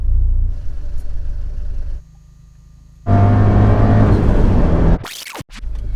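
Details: Fiat 124 Spider 1.4L MultiAir Turbo at idle: level sags then surges back with a stumbling beat; persistent cylinder 4 misfire at idle, cause still being diagnosed.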